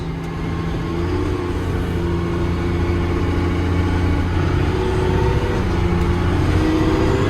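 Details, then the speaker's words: 2000 Stewart & Stevenson M1085A1 5-ton military diesel, 7-speed, pulling away through the gears on a first drive. Deep even drone climbing in pitch, no knocks or misses; healthy engine under load. "Go for drive. 7 speeds. She moves. Oh, and it sounds fabulous."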